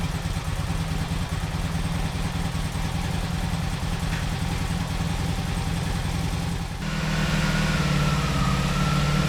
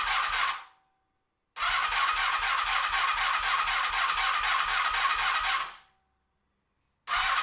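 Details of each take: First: 1986 Honda VF700 Magna on first run after fuel system flush and carburetor cleaning: uneven burble settles into a steady idle, then rises to a firmer, smoother note as revs lift; running cleanly. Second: 1986 Honda VF700 Magna V4 after fuel system flush and carburetor cleaning, first start: starter cranks in steady bursts about four beats a second, pauses, then cranks again while the four dry carburetors fill with fuel before it stays running.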